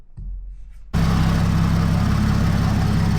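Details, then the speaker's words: BMW 340i single turbo on MHD Plus base map, after earlier stall on startup and codes cleared: engine catches and settles into steady, even low idle with no misses or knocks. Normal start. "All righty. So, I cleared the codes and the car started up just fine."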